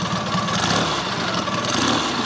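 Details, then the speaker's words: Matchless G11 twin after full engine rebuild, ticking over: even idle with faint high gear whine over the exhaust beat, normal noise from all-gear-driven timing (pinion, dynamo and intermediate gears); engine healthy. "you can hear a bit of gear noise on this because it's all gear driven it's got pinion gear gear Dynamo gear and intermediates here"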